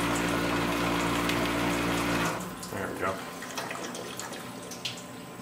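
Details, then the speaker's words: New Tormach 1100 CNC mill, coolant switched on from the computer in Auto mode: steady pump hum, then water splashing and running evenly into the enclosure; normal coolant flow. "now Auto is relying on the computer to tell it so if I click coolant on a computer there she goes"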